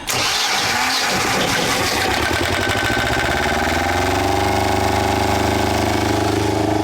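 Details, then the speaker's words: Small Volvo marine diesel in a sailboat, restarted after its clogged cooling water passages were cleared of sea debris: it cranks, catches quickly and settles into a steady, even idle with no misses or knocks; it now runs and cools better. "this engine is definitely feeling a lot better now than what it was when it first came in here now it's cooling better so"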